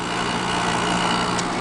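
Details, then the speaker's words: Small White Consolidated Industries (WCI, pre-Electrolux) window air conditioner with styrofoam inside and a McMillan PSC fan motor, already cooling; soft steady fan whoosh with faint constant hum, no rattles or pitch swings: normal quiet running. "you know they're not as high a quality is like a really vintage unit but they're really quiet and they perform really well"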